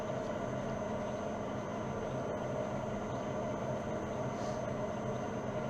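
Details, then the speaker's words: Old lathe on its variable-speed drive at 45 Hz, about 205–208 rpm. Quiet, steady low drone, even and unchanging, with no grinding or knocking; normal running. "donc là je viens pointer ça tourne je mets à zé à 45 Hz à 45 Hz on est à 200 208 tours 207 tours donc on va mettre 200 205"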